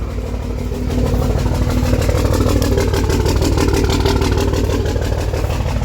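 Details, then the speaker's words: Diesel truck bought sight unseen, with ABS and check engine lights on, idling with an uneven, lumpy beat about three pulses a second. Rough running; owner suspects injectors, not yet confirmed. "I'm pretty sure we need injectors definitely sounds like injectors but we're gonna go through here use the Box and see if we can't pinpoint any"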